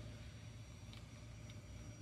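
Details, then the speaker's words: GPD Win Mini handheld PC after cooling fan replacement, running under load: steady soft airflow hum with no rattle, scrape or grinding — new fan smooth and quiet. "and it's not making any noise so this was a success"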